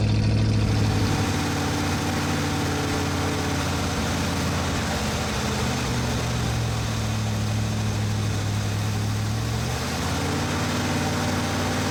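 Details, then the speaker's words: Ford 460 big-block V8 with dual exhaust in a 1980 F-350 service truck, just after first start and break-in; deep steady burble and even low rumble at idle; normal V8 idle, though a carburetor gasket or exhaust leak is suspected afterward. "But do enjoy the engine sounds for the moment."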